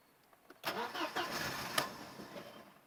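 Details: Passat 1.6 hard start: about a second of cranking before catching, then settles into a rough quiet idle; slow reluctant start.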